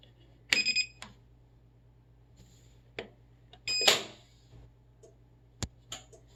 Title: whirlpool duet wfw9150ww00 won't start in normal mode